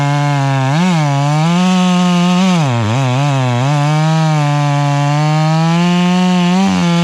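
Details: Stihl MS 461 chainsaw with Westcoast Saws kit (dogs, bark box, Maxflow air filter), limiters removed, carb tuned rich: pitch sags and wobbles in the cut, blubbering four-stroke rumble when not pushed hard; running plenty rich.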